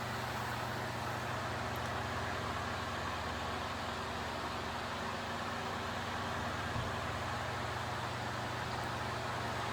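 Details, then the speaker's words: Early-1970s Hoover model 6710-12 12-inch two-speed oscillating table fan on high, drawing about 1.1 amps: steady low electrical buzz under rushing air from a loose stator winding coil; windings otherwise good, motor within spec. "what causes the buzz, but the windings themselves are still in good shape. I don't think the motor is really going to burn out anytime soon, but I know that winding being loose is definitely not helping much."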